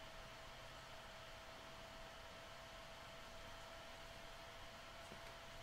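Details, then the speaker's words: Roland V-1HD video switcher on included power supply, stock internal cooling fan before quieting modification: steady faint high whine over even air rush; loud cooling fan noise. "i'm definitely picking up the sound of the switcher has a fairly distinct hum and uh and the reason for that is the the processors inside the switcher"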